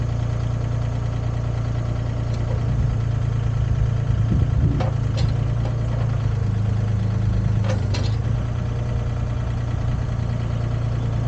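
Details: Used Komatsu PC10-3 mini excavator diesel at low idle, set just high enough to keep the battery charging: a steady, even rumble with a few light clatters, no knocking or misfire; normal idle.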